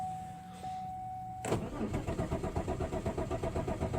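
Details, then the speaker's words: Malibu sitting about a month, failed to start night before (owner suspects not enough fuel in fuel rail): starter cranks at about four pulses a second but never fires; no start, cause unconfirmed, ignition mod planned. "Whoa, ain't that something? No go at all. Huh? I ain't got nothing at all now. Will not start at all."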